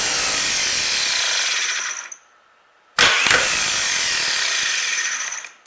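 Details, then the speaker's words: 1938 Buick Special starter motor, bench-run for a no-crank: two short runs of harsh, rattling high whine winding down; owner suspects bearings or bushing, and the brushes are worn nearly away. "We'll see if 12 still wants to spin it. It sounds terrible, the bearings, or the bushing."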